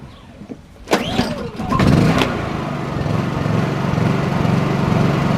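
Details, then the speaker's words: Small Honda 2200 W generator converted to propane, started after a few pulls to power a Dometic 15k RV AC fitted with a Softstart: it catches within a second or two and settles into a steady, low, even hum. Healthy start. "right fired up i don't know what that sounds like on video but this thing is quite quite"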